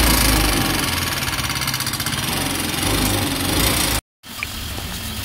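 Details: Yamaha Ray ZR 125 scooter engine runs with a rough, uneven clatter under the exhaust before cutting out; it also smokes and is using up engine oil; abnormal noise, cause not yet found.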